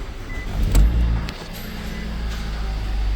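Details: Nissan Sentra after no-start repair, first start after battery, starter, ignition and wiring were checked: short crank, quick surge as it fires, then smooth steady low idle with no misses or rattles; normal start and idle.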